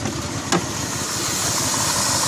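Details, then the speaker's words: 2001 Cadillac DeVille Northstar V8 idling, heard from outside, with a severe misfire persisting after a plug wire fix: lumpy stumbling chugging, tach floating, engine shaking; flashing check engine light under hard acceleration. "and it still misfires as I'm here there it's just chugging like crazy"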